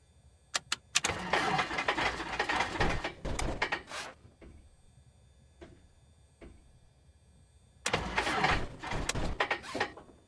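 Two long bursts of uneven starter cranking with sharp pops between quiet gaps; the engine won't catch and backfires on a hard start.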